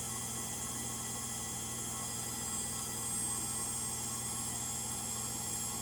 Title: Frigidaire Gallery front load washer model GLTF1670AS1 final spin. Bad Motor bearings.